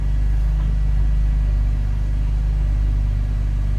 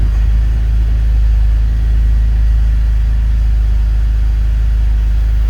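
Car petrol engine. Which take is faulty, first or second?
second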